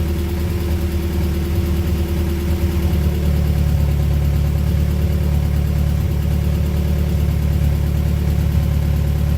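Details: Honda Prelude project engine that sat a while, run with its engine harness temporarily fitted: about 40 psi, no leaks, no check engine lights. Steady, even low idle with no knocks, ticks or misses. Normal idle.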